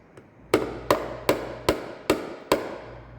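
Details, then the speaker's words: Diesel FJ Cruiser up on a hoist; six crisp, ringing taps on the body near a rust hole, the bright sound of solid, unrusted metal, in contrast to dull rusted metal. "so good metal will sound like this"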